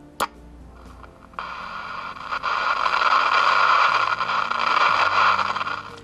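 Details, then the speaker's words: President JFK CB radio powered up for diagnosis: hiss swells as the volume knob turns, broken by scratchy crackles and pops from a dirty volume potentiometer; all pots and switches need cleaning. "słychać Już potencjometr trzeszczy czyli czyli praktycznie wszystkie potencjometry od razu i przełączniki do czyszczenia"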